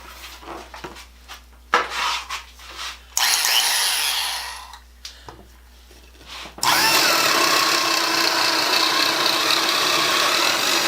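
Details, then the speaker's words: Black & Decker 1/4" Deluxe drill motor, cleaned and tested, boring wood with a 1-inch spade bit: bursts of high motor whine settling into a steady even drone under load. It runs strong and sounds healthy. "Yeah, I'd say that works. That's a 1-inch spade bit."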